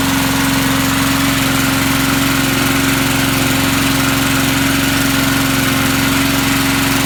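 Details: Vintage Sears/Montgomery Ward push mower engine: runs steady and even, a smooth unbroken note with no misses or surging, sounding healthy.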